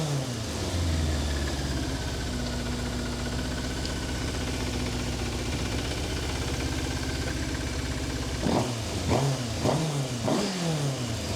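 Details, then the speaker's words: 1988 Yamaha FZ750 Genesis after carb rebuild and new inlet rubbers, choke out, high idle: steady on all four cylinders, clean blips rising and falling without stumbling, no fuel leaks; running on all four for first time in months. "It is actually running. I cannot believe it. It is running on all four cylinders for the first time in probably 9 or 10 months since I've had this bike."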